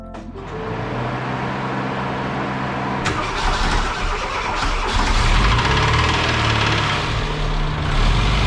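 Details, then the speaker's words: Austin Maestro daily-driven classic that broke down, engine always rough: it fires up and a rough steady knocking runs under the idle at a few beats per second, a deep bottom-end knock; big end suspected, not confirmed. "As you can hear, she ain't sounding too hot, so let's get cracking, I guess, and see what's wrong with it."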